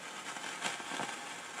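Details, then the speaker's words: Realistic STA-2500 receiver with a cap refitted after capacitors, resistors and bar antenna checked fine: irregular scratchy crackling, fizzing and hissing; suspected silver mica disease or ceramic tubular caps inside inductor/transformer cans, coils also suspected, not confirmed. "it sounds like silver Mica disease that's why I suspect it's a cap somewhere somewhere in this circuit here"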